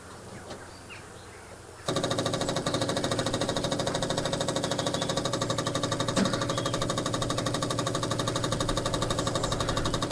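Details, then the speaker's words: Barn-find 2CV flat-twin three-wheeler stored 25 years, electric fuel pump bridged with clean fuel, spark plugs out: steady rapid ticking about three per second, fuel heard flowing into carburettor. Electric fuel pump ticking normally. "Tôi thực sự có thể nghe thấy tiếng xăng chảy vào bộ chế hòa khí, được rồi, nó sẽ không nổ máy bởi vì không có bugi đánh lửa trong đó"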